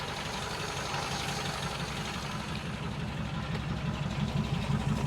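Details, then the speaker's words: 1947 Ford idling to warm up after 13–14 months storage on old gas: steady even idle with soft regular beat, no stumble or knock; normal idle. "I think uh I'll let it just run and warm up for a little bit here."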